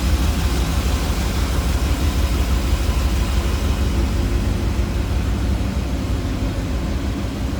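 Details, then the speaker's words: 1978 GMC Sierra K10 4x4 V8 with four-barrel carburetor, HEI ignition, headers, warmed up and off high idle: deep steady low rumble, even beat, no ticks or misses; purring healthy warm idle. "listen to that baby purr"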